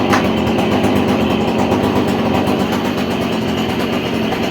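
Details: Stihl KM56RC pole saw, head previously not spinning, now reconnected: steady buzzy two-stroke note, no misses or rattles; runs cleanly with drive engaged.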